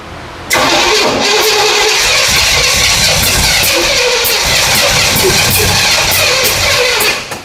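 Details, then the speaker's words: 1977 Pontiac Firebird overhauled 350 small-block, after distributor turned 180°: steady cranking churn with sharp pops about twice a second, backfiring instead of catching; firing order suspected wrong, not confirmed. "Something's wrong. I think we our firing order can't be right or something."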